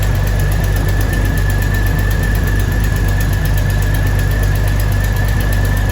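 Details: 2000 Jeep Cherokee Sport XJ first start after a new head gasket, thermostat and housing, and valve cover and manifold gaskets (old gasket failed, overheating): deep, uneven idle with a loose, lumpy beat about twice a second; rough running.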